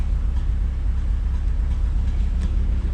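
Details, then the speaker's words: Sonoma with a blown head gasket, idling before warm-up just after CRC head gasket repair was added to the radiator with water and no antifreeze: deep idle rumble that stumbles unevenly and misses, with slightly colored exhaust smoke. "Then you can hear it missing."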